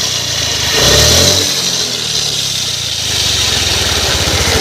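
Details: Honda Activa/Aviator scooter: harsh hissy grinding over the engine that swells when revved; gearbox bearing noise, accessed by opening the clutch cover.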